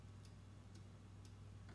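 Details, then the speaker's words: Delta PowerGen ESOG150-PCA01 48V DC telecom generator being converted for lithium charging: sharp relay clicks twice a second over a low electrical hum; the relay is likely only used to blink the indicator light. "Likely that relay is only used to blink the light."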